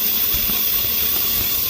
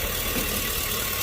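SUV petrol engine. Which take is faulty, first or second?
first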